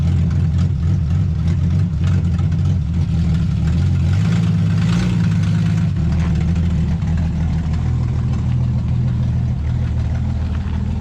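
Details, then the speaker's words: Abandoned 1966 Ford Mustang, revived with new wires, plugs, coil and starter. Steady low rumble, even and unbroken with a few light surges, no knocks or misses; running good. "all right everybody here it is she's running good"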